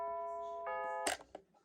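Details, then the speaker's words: Battery-powered Bulova C3542 wall chiming clock on its old chime batteries, in since October 2020: a few clear bell notes begin the melody, then stop abruptly after about a second with a click, recreating how the chime cut off mid-hour. Cause suspected, not confirmed. "pretty much something like that is what the clock sounded like when it cut the chime off."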